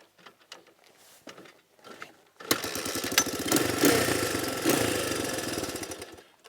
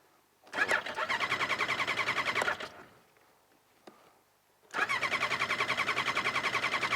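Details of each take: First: Shop machine, owner says it runs great now: after some handling clatter, the engine picks up a quick, even firing beat and holds steady; sounds healthy and strong. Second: Snowmobile with carbs on ethanol fuel treated with stabilizer, newly fitted relay: two bursts of rapid, even cranking with a gap, never catching cleanly; hard starting, owner suspects gas drained from carbs after sitting and wonky carbs that ran really rich.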